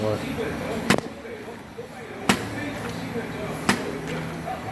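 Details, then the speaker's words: Pole Aro 29 bike, about two months old: three sharp metallic clunks about 1.4 seconds apart as the suspension fork tops out, the bolt head hitting metal because its silicone bump-stop bushing is broken. "A cabeça do parafuso aqui dentro, galera, tem uma bucha de silicone, tem, que ela funciona como batente, ela acaba estourando."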